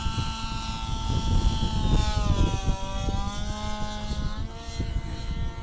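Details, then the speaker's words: Warmed gas RC helicopter engine at full collective: tone climbs but bogs and wavers near the top, not pulling strongly; high-speed needle set too rich. "heard a kind of bog at the top a little bit it didn't pull out quite as strong as it did when it would suck correctly"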